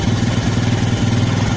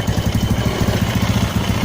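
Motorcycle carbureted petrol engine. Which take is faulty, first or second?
second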